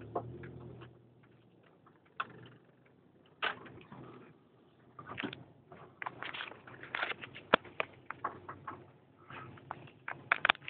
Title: Ksport clunking sound